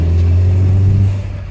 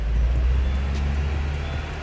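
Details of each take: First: Peugeot 307 driving after trizeta (driveshaft tripod joint) replacement: steady low road and engine rumble, no knock or rhythmic clunk; steering vibration gone, remaining slight noise attributed to an engine mount near the coolant reservoir. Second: Peugeot 307, cylinder head redone four months earlier, on a road test pulling in second to fourth gear near 100 km/h: heavy drone with a faint regular tick and shaking from a worn tripod CV joint on the driveshaft.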